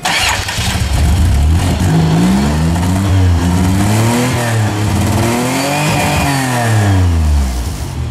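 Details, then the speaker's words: Van with catalytic converter removed and pipe welded, Flowmaster performance muffler fitted: engine catches and is blipped, deep clean exhaust tone rising and falling smoothly, no rattles; sounds much better. "that sounds way [Music] better doesn't change the fact it's still a piece of [ __ ] makes it makes it sound lesser one though"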